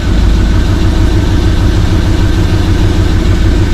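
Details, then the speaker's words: First fire-up of freshly rebuilt 6.0 LS LQ4 V8 with Summit stage 1 truck cam in a 1986 Suburban C20, not yet warmed up: deep, steady idle, even low rumble, no knocks or ticks; good oil pressure, exhaust leak noted. "Good oil pressure. Got an exhaust leak, so that's good. Piece of crap muffler, you know."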